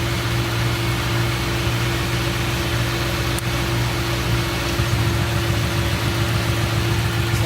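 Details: Engine idling very hot while plug wires are pulled from the coil pack one at a time: low slightly uneven beat, almost no change whichever wire is pulled; suspected misfire unconfirmed.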